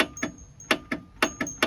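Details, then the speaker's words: Racing mower freshly swapped to a 20 HP OHV V-twin, key turned to start with the starter motor not connected: sharp metallic clicks, about five a second in uneven pairs, with no cranking. The starter solenoid is engaging. "That's the starter solenoid engaging. But what's cool about that is you don't normally hear that, because it goes zzzz, and the fan's flywheel starts cranking, so you don't, that noise is muffled."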